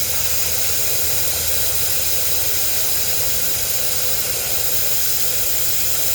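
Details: Steady, even hiss from a Ford F250/F350 or Chevy 2500 truck tire valve stem, down to about 20 psi on a 70–80 psi tire, during a TPMS fault check; slow air release, stem feels clogged, suspected cause.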